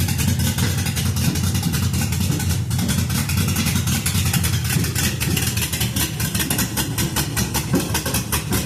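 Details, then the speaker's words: LS-swapped 1966 Ford F100 on a 2008 Crown Vic chassis, cammed V8 idling with a deep uneven loping chop and no backfires after replacing two failing coil packs and adding O2 and MAF sensors; normal lopey idle. "So, I got those swapped and was able to hear it sit and idle and chop. Sit and idle and chop for the first time with no backfires."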